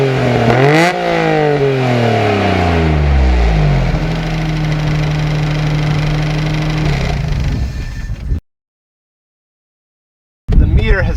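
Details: Small Japanese car for sale in Japan with an unreliable odometer (reads 43,000 km, estimated around 120,000 km): engine catches, pitch climbs smoothly with two blips, then settles to an even idle with no knocks or rattles; sounds healthy.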